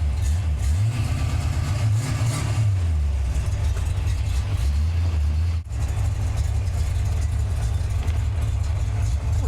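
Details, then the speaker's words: Same car with the belt removed, Flowmaster exhaust: deep, lumpy burble at idle with a couple of throttle blips, steady with no ticks or knocks; normal idle, distributor was not the fault. "you just look at me in the old poop still runs great still runs great oh would you sounds good too"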